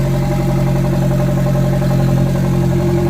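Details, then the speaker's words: MG TF freshly built engine with turbo conversion, first start, engine bay fans running (coolant temp sensor suspected); very loud, heavy deep drone with slightly uneven beat. "Hopefully one more fire up and that should go. God, she's loud."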